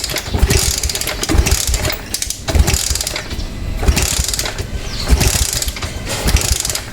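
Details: 2017 Suzuki Smash 115 carbureted motorcycle after spark plug cap replacement: irregular cranking bursts about once a second with sputtering but no steady idle; cranks but won't start, owner suspects no fuel. Cause suspected, not confirmed.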